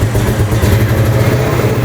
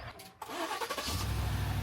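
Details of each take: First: Old Mustang GT V8 found rotting in a field, first start after fuel pump priming with intake and MAF sensor reconnected: uneven lumpy beat that stumbles, misfiring but running; cause not yet found. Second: Yukon that would not start for 20–30 minutes, jump-started with a portable jump starter: the starter cranks briefly, then the engine catches at once and settles into a steady, even idle; normal start.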